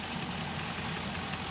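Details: 2005 Chevy Envoy, idling after the serpentine belt and pulleys were replaced over an earlier pulley noise: steady, even idle with a smooth hum, no squeal, chirp or rattle; engine and belt drive healthy.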